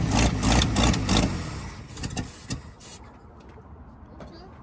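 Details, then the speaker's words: Abandoned 1975 Dodge pickup, first start attempt with starter jumped by wire and an old smoking battery: rough uneven cranking in heavy bursts for about a second, then scattered clunks; starter sounds harsh and labouring. "I couldn't tell what was going on in the engine bay because the starter sounded so bad."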